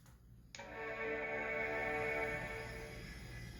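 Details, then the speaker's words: Power Macintosh Performa 5200 CD at first power-on after salvage: one sustained chord rings out and fades over three seconds, an unfamiliar startup chime, then hard drive sounds; cause not confirmed. "kind of sound was that I've never heard a Mac still that sound like that before"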